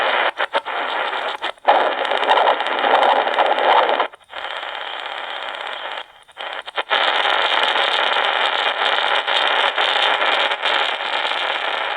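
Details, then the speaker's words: iRonsnow Condor 1 emergency radio on AM band: loud steady hiss and hash with brief dropouts, no station; buzz goes away once the lights turn off but ticking remains; owner suspects charging circuit or large battery, source unknown. "so that buzz will go way once these lights go out on the amband if you're waiting for something it might take a while but let me show you here once those lights go out that buzz will go away but the ticking remains which is annoying"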